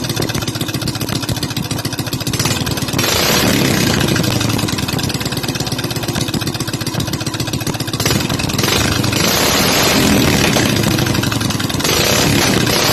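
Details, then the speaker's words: Honda GX200 clone (Predator 212 type) single-cylinder revving up and down with crisp, even firing, still pulling cleanly at higher RPM; sounds like a GY6, normal. "If you know what a GX200 sounds like, and you know what a GY6 sounds like, this would honestly fool you if you were trying to go by audio."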